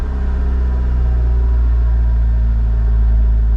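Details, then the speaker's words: Honda Civic Del Sol at a salvage auction, listed run-and-drive, jump-started: it catches instantly and settles into a smooth, deep, steady idle with no misses or tapping. Normal idle. "I mean, fired right up perfectly. That's pretty dang impressive."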